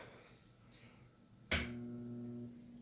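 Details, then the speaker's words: Firepower pinball machine with repaired MPU back in, at power-on: a sharp clack as the ball is kicked out immediately, then a steady electrical hum as the coil stays energised. Owner suspects a blown transistor on the driver board. "immediately it's kicking the ball out and it should not do that usually that's caused by a blown transistor"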